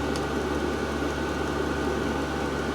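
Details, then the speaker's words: Diesel heater fitted in a workshop shed (about £150) switched off via its button, running its own cooldown cycle from full power down slowly; even fan whirr with a faint steady hum, no ticking or rattling; normal shutdown cooldown. "so now as I say you turn it off and it will start to go through its own cycle um it'll stop it got full power then it starts to slowly run down"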